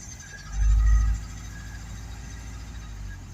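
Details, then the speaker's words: Mk3 Ford Cortina Estate after a spark plug fix and the mixture turned in a few turns, airbox off: deep, uneven lumpy idle with a heavy early surge and an unsteady beat, engine rocking; misfiring, owner suspects the timing is out. "Hang on. Yeah, it sounds really lumpy."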